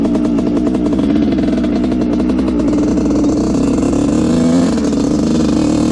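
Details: Honda CR125 two-stroke dirt bike (1986/1987) that had a horrible bog, after needle clip moved one notch and rejetting: crisp blips with no bog or stumble; pilot jet was the cause, now running almost perfect.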